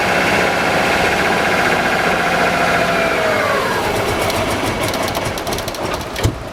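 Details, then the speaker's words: Subaru RS Liberty AWD turbo manual parked for 10 years, with fuel poured into the throttle body: catches, runs a few seconds, revs sag, then dies; runs only on intake-fed fuel, injectors suspected stuck. "well there you go she runs but yeah yeah so that tells me that I may have to pull the injectors out and clean the injectors I think the injectors are stuck"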